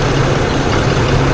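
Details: 2008 Ford F-150 4.2L waste-spark ignition at idle, heavy lumpy loping beat; two-cylinder misfire from a bad PCM coil driver (coil B not firing), despite new plugs, wires and three coil packs; PCM needs replacing.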